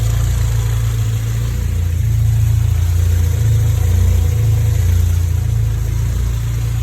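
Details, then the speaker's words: Honda B18 "race" engine from eBay in DC2, at operating temperature, before mapping, new throttle body: deep smooth even idle with gentle rev blips, no knocks, ticks or misses; idles nicely, unlike with previous throttle body. "So it's up to operating temperature. DC2s always seem to sit there. And it's ticking over nicely, which I've never had before because my other throttle body wasn't very good."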